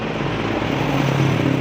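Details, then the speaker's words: Honda CBR150R LED (K56) idling, after an earlier teardown at another shop where something was reportedly machined and the noise got worse: a very rough, busy valve-train clatter from the cylinder head, attributed to a worn cam, loose rockers and oil starvation. "bagian head sini adalah sangat kasar sekali suaranya"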